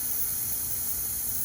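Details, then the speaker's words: Walk-in box evaporator coil, converting from R-22 to R404a, being checked before install: a sharp, steady hiss of gas is released, showing the factory nitrogen holding charge is intact and the coil is tight. "first thing i want to do is i want to make sure this thing's got a nitrogen charge in it for the factory so we know the coil is good"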